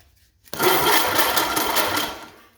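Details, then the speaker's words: 1929 Ford Model A doodlebug with a donor engine, ground temporarily run to the top of the starter motor: brisk, strong starter whir for about two seconds spinning the engine freely; insufficient block-to-frame ground, likely rust, caused the earlier no-crank. "Success. So, what we're going to have to do is run a ground strap from the engine block to the frame rail cuz we obviously have insufficient ground coming through here."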